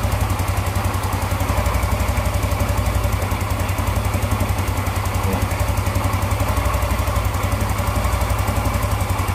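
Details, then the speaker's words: Yamaha Mio Z with old Vario 125 FI piston fitted after a new block and piston set failed within months, freshly assembled: even, quick single-cylinder putter at idle, about four beats a second, no rattle or slap; quite smooth. "Cukup halus teman-teman ya, untuk suaranya cukup halus. Suara cukup halus."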